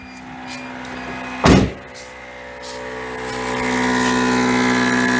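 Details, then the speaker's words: 1993 Geo Tracker with Yanmar diesel swap, sat 8 years: electric vacuum pump hums with low whine, runs a couple of minutes and never cuts off; owner suspects vacuum switch needs adjusting, no vacuum found at canister. "Well, it ran for a couple of minutes. Never cut off. We may have to adjust the switch, but I'm curious to see if we got a vacuum on this little canister."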